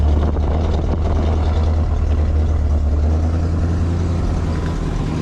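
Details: 23-foot Birchaven motorhome, Quadrajet carb, after 12 years stored, warming up, oil pressure good, less smoke, coolant leak owner suspects from heater hoses: steady, even, smooth low idle rumble, no knocks or misses; sounded pretty good, normal idle.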